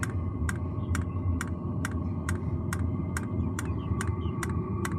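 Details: New diesel heater just installed in a Jayco Freedom caravan, heard from outside at start-up: crisp, even dosing-pump ticks about twice a second over a low steady rumble; normal fuel pump ticking.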